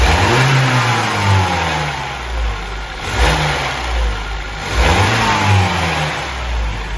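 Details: BMW 116i, N13/N18 petrol engine, about 126,000 km, low oil pressure: revved in repeated blips, running rough and uneven as it climbs, like a misfire; cylinder head problem suspected before engine removal.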